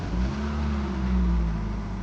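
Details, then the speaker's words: 2008 Toyota Ractis 2SZ-FE after a home rebuild for oil burning and smoking (rings, gaskets, seals, bearings); cold start next day shows a steady, even low rumble with no knocks or ticks, belt slightly squishy; smoke is spilled oil. Normal cold start. "Oh yeah, she's alive. Just the belt that's a little bit squishy. At some point we'll replace it. But so far the engine is running just perfect."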